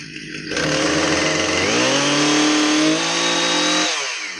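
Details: Husqvarna 460 Rancher chainsaw, brought in as a no-start, after repair and refuelled: two-stroke buzz climbs smoothly to a high steady scream, holds, then drops cleanly back toward idle; normal running.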